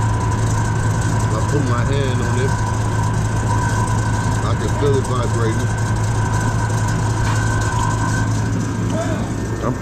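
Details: USI combo vending machine model 3155 compressor after a new start capacitor replaced the old one: even low hum with a faint whine and no straining or repeated start clicks. It runs normally and the air is super cold.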